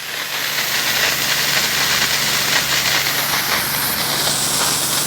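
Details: DIY snowmaker run by pressure washer and air compressor, nucleating nozzle passing the black glove test with ice crystals: steady sharp air hiss with no sputter or pulsing, faint low pump drone behind; spraying evenly, properly adjusted.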